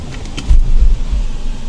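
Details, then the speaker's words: Ford EcoSport 2018–19 at 13,000 km, in Drive: heavy, uneven low rumbling surges and whole-car vibration, with jerking on shifting into gear, ABS, engine and traction control lights on; cause not yet known. "so right now this is in DEET and the whole car is vibrating and hear the sound when I try to drive this car"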